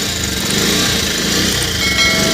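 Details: Bajaj Pulsar 125 running before a timing chain replacement: busy, high-pitched chattering rattle over the engine that follows the revs, from a slack, noisy timing chain.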